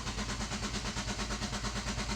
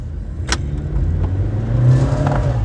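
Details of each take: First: Nissan Juke, push-button start, cranked with accelerator floored and brake pressed: even starter chug about nine beats a second, every stroke equal; compression sounds fine across all cylinders despite a stored cylinder 2 misfire code. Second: Nissan Juke: engine revs unevenly under throttle with lumpy, stumbling note, rpm jumping, car shaking and hesitating; one cylinder misfiring.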